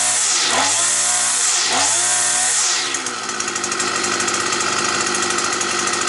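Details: Petrol brush cutter that used to start, then cut out as if switched off; a bent crankshaft was found. After the repair two quick revs swoop up and down, then a steady, even buzz, and the flywheel runs true: normal running.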